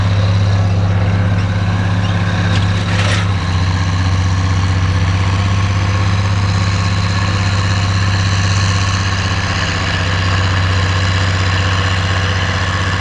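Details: Oliver 1550 tractor pulling a JD BW disk about 6–8 inches deep, running well once whatever was in the fuel system cleared: deep, steady drone holding constant under load, no stumbles or misfires.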